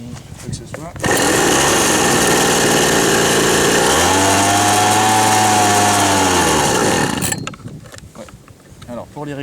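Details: Old Ryobi RSV 3100e leaf blower after plug, carb membrane changes and carb adjustment: screams at full throttle with harsh uneven buzz, wavering, won't hold steady speed. Rough running; possibly flooded or mis-set, unconfirmed.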